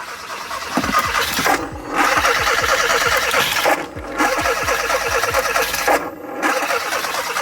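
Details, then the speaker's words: 2015 Hyundai Veloster with crank-no-start, during spark plug test: starter churns in a laboured, uneven rhythm, sagging and never catching; slow cranking because the battery is dying; spark and compression present. "sounds like that because the battery is dying."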